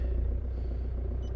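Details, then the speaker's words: Jaguar X-type estate, 2.2 litre diesel with a newly replaced clutch, cold-started after sitting about three days in cold weather, glow plugs waited out. It starts very well into a low, even diesel idle with no knocking or misses. Normal cold start. "Glow plugs went out. Let's try it. That started very well."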